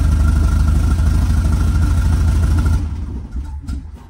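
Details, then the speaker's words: 1967 VW Type 3 Squareback flat-four, engine running in break-in after an upgrade from a points 009 distributor to a Pertronix Flame-Thrower SVDA distributor: lumpy, stumbling low idle that barely holds once the throttle is released, then dies after about three seconds; ignition timing way off. "but let's see if I let go of my foot it's gonna die hopefully it doesn't oh yeah the timing is just way off oh it's like almost gonna die"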